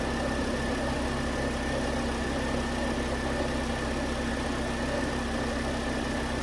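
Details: 2009 Volvo S40 T5 AWD R-Design, flood-damaged Copart car, after a melted alternator idler pulley was found as the fault: steady even idle with a constant hum, no knocks, misses or squeals; normal idle.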